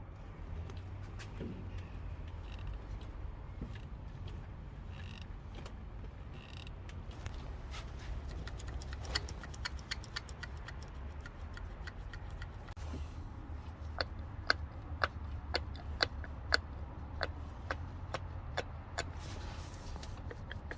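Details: Vauxhall Astra idling with sharp metallic ticks, about two a second, from a noisy timing chain.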